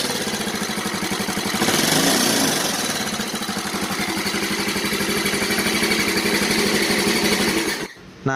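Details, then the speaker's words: Yamaha Mio Soul scooter, also burning oil and smoking, idling before teardown: loud, harsh mechanical clatter, running rough and uneven; very noisy engine. "Yamaha Mio Soul yang dimana motor ini kalau dihidupkan itu berisik sangat-sangat berisik sekali"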